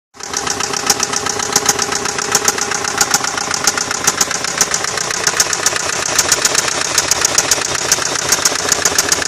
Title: 2002 maxima loud knocking sound